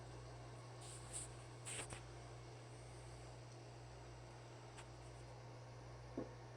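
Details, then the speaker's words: Countertop nugget ice maker after disassembly, cleaning, lubrication and reinstallation to cure a squeal, water filled and making ice: quiet, even low hum with a few soft clicks and ice dropping, no squeal. Running normally. "and I think I just heard some ice drop in it and the first couple nuggets are on their way out and there is no squealing of any sort coming from the box"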